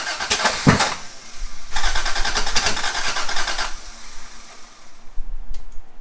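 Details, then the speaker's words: MK2 Toyota Supra rally car, first start after a top-end refresh: engine catches in ragged bursts, stumbling and popping, then is shut off without settling to an idle. Owners suspect something is out of time. "Bad noises. Whoa, stop. Stop. Something's not right. Something's not right."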